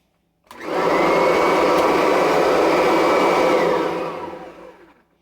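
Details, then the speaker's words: 2017 Kirby Avalir upright vacuum after replacing a worn, slipping belt with a new one. The motor spins up to a steady whirring roar with an even high whine, then coasts down smoothly: normal running. "sounds better oh that sounds much better much better that sounds a lot better"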